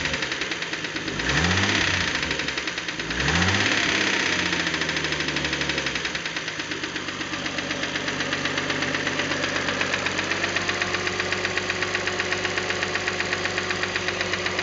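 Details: 1976 Datsun 280Z with L28ET engine, valve clearances checked and compression good, knocks steadily at about four sharp taps a second through two quick revs and idle; cause unknown.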